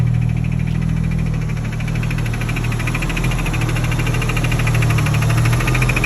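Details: R32 rebuilt engine idling with light, fast ticking about four per second. It persists with all belts removed, is heard only at the fuel rail and each injector, matches the injectors and speeds up with revs. Source unconfirmed.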